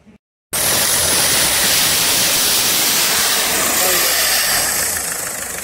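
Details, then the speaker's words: VW Golf diesel with a blocked DPF (33 psi exhaust back pressure while cranking), running only with the oxygen/air-fuel sensor removed: loud steady hiss and rush of exhaust gas blowing out of the open sensor port. "so we took out the um air fuel sensor out of here and it runs it won't run at all without that so it's an interesting one though"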